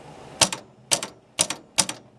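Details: 1961 Seeburg AY100U jukebox latch bar/cancel solenoid, rod pushed with a pencil: four sharp double clicks about half a second apart with sparks at the contacts; 25 volts reaches the solenoid but it doesn't trip.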